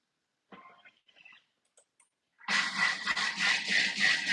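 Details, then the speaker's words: Thermomix whipping cream: faint clicks, then motor whirring with rhythmic sloshing pulses about three to four per second, a splashing sound; cream whipping normally. "So that's a little splashing splash sort of sound."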